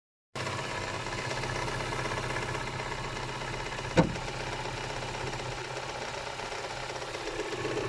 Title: Стук двигателя KIA SPECTRA 1.6 ч. 2